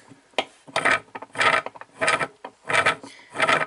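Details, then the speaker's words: Whirlpool washer gear case tested by hand, twisting the smaller inner shaft: rough gritty grinding bursts about every half second although the outer shaft spins smoothly; bad gear case. "hear that grinding that's bad that's what you do not want to hear so this is a bad gear case"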